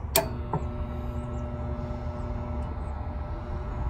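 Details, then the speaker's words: Nordyne package unit on no-cooling call, about 75°F and humid, jumpered to yellow: relay click, then only steady condenser fan motor hum; compressor never starts. Contactor wiring suspected; unconfirmed. "the condenser motors running the compressor is not turning over so let's see why"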